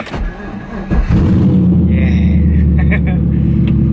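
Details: LS-swapped FD RX7 V8 started on the key: short crank, then it catches and settles straight into a deep, steady idle; a clean normal start, though owner says it occasionally acts up when cranked.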